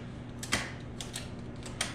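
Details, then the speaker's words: Mopar pushbutton automatic shifter: several crisp, separate clacks, each a firm snap like a bear trap with no grinding; gears are shifting solidly and cleanly. "can hear it solidly shifting the gears and this next we would love there now subside lubricated it but I think it sounds like a bear trap"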